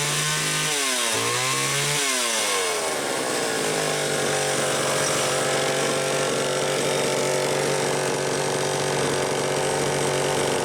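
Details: Homelite XL-500 chainsaw fitted with optional silencer muffler, test run in garage: quick throttle blips then steady clean high-revving scream without stumbling; tuned close, runs healthy.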